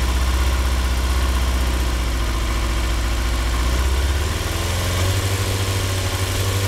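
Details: 2003 Yamaha R6, 35,000 miles, Yoshimura exhaust, BMC filter, idle set 1350 rpm: lumpy loping V-twin-like idle, worst at 2–3k rpm, randomly jumping revs; misfire traced to the ignition coils.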